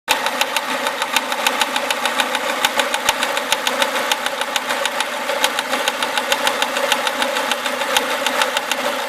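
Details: Renault Clio RS engine idling with a fast, fairly even ticking knock at about three per second over a steady idle. It is an abnormal engine noise of unclear cause.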